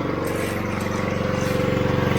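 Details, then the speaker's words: AR45 pressure washer pump and gearbox just replaced after a leak at 14 months; engine-driven pump running with gauge steady, good flow, shooting 60 feet, no leaks; fast even pulsing, no surging, normal pump operation. "today gauge is pretty steady so that means we've got a good flow and that's let off builds up a little bit no problems shooting 60 foot no problem"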